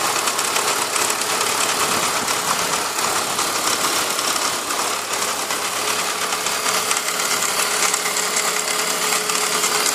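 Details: BMW E46 engine at a steady idle with a fast, light, even top-end ticking and no rev change; owner says other E46s don't make this noise; abnormal tick, cause unknown.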